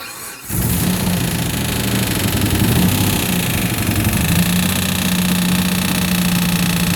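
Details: Engine after a tune-up: catches and settles into a fast idle with an intermittent extra droning tone; abnormal noise, source unclear.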